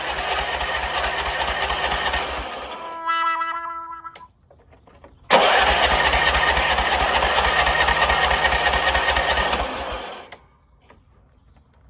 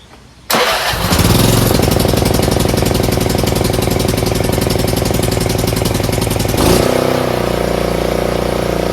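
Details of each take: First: Craftsman RER1000 riding mower started on choke after sitting a while: catches, cuts out, then restarts and holds a high steady rev that never settles; high idle because the idle screw needed adjusting. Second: Craftsman RER1000 riding mower right after a collapsed fuel line was replaced: cranks briefly, catches cleanly and runs at a steady, even beat before easing down a little; normal start and run.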